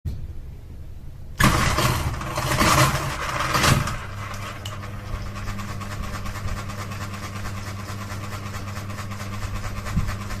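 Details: Ceiling fan running: a steady hum with a faint, uneven swish or knock about once a second, caused by the fan wobbling as it rotates.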